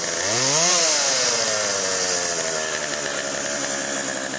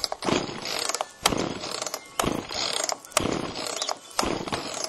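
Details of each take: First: Chainsaw after Texas ice storm: quick blip then steady high buzz at idle-to-mid speed without bogging; could be fine-tuned but ready to go, bar oil pumping. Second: Chainsaw after Texas ice storm, choke on, carb screws untouched: eight steady rope pulls about a second apart, ratcheting whirr, no firing; spark later confirmed present, compression to be checked. Cranks but won't start.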